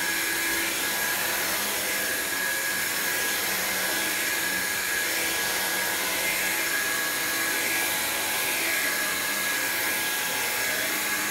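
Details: Black signature-variant upright vacuum, cleaned and secondhand, running: a steady, even whoosh with a constant motor hum, no rattles or pitch changes. Its brush seems more aggressive than the non-signature variant's; nothing wrong, healthy.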